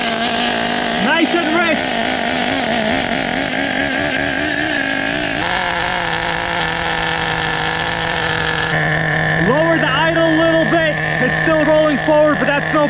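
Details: 1994 Team Associated RC10GT with OS 15 CV-X nitro engine, first start after about 20 years of storage: small engine burbling and warbling, revs stepping up and down, blubbery and sluggish; running rich with the idle set high.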